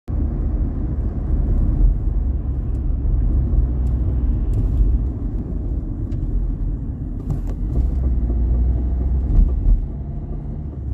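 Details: Vauxhall Corsa D, manual, knocking and tapping under acceleration and deceleration: heavy low driving rumble with scattered light knocks and taps at irregular moments. Coil springs and rear shocks were already replaced and the MOT noted nothing; cause unknown.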